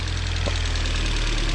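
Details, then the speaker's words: $100 Mazda Miata, just running after fuel filter, injector and air-box fixes, coolant leak and heavy smoke: steady idle with loud, fast, light lifter tick on top; needs an oil change, hoped to quiet it. "Lifter tick is really loud. Definitely needs an oil change. Hopefully it'll quiet it down, but like, not bad for $100 bucks."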